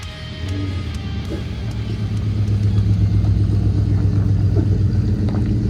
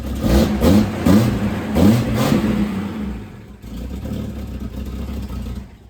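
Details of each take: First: Ford LTD/Fairlane exhaust after the blown-out old muffler was replaced with a new DIY-welded Kuluin muffler. Deep V8 burble rises with revs, with no rattles, blows or ticking. The new muffler sounds good but slightly hollow until it carbons up and deepens. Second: Throttle blips after new mufflers went on: the exhaust note is soft, puffy and fluffy rather than crisp, coming from holes in the front resonator, which will be welded up; running rich with the airflow meter disconnected.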